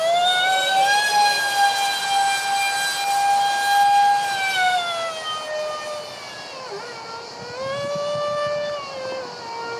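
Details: Su-35 RC jet, EDFs with 5-blade rotors and 2600kv motors on 6S: high piercing screech with strong overtones, sliding lower as the fans ease off. Vibration from cheap shaft adapters and detached mounting pads.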